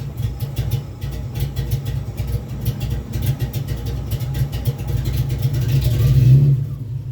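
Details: 2001 Ford Ranger XLT 4.0 V6 that cranks about a minute only in the morning, once started: a deep, even rumble swelling smoothly with a light throttle blip, no miss. It runs and drives normally after starting.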